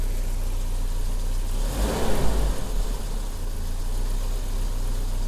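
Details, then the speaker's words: 1984 Volvo 760 Turbo just after fuel injector replacement, first start, initially hard then better: low hum swells cleanly into a quick blip and settles back to even idle, acceleration good; smooth revving. "L'accélération se fait bien. C'est pas mal."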